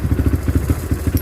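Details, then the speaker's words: Kawasaki Barako 2 single after new connecting rod fitted, breaking in: even idle thumps, about seven a second, steady beat, no knock or clatter; quiet and back to normal. "So ngayon okay na. Tahimik na siya ulit. Back to ano na siya."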